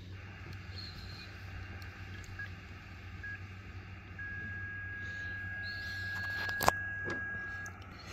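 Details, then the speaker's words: Xiegu X6100 ham radio receiver: steady thin whistle at one fixed pitch over hiss, an internally generated birdie; radio has many birdies, RF gain turned down to 60%. "so this radio does have a lot of birdies but I think most of them aren't super bad"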